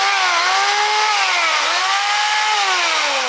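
High motor whine that rises and dips as the trigger is worked, smooth without grinding or rattling; the drill runs normally.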